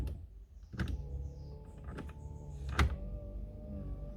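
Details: Fiat Palio, wipers tested from inside the car before inspection: quiet steady motor hum with a soft thunk about every second as the blades reverse; wipers sweeping evenly and working fine.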